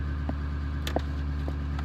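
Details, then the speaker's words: 1999 Ford F250 7.3 Powerstroke diesel, 117,000 miles, warming up after start: steady low drone at a slightly raised, even speed with faint clicks; normal high idle, dropping to regular idle once gas or brake is pressed. "so here we go you can hear it right now she's in high idle"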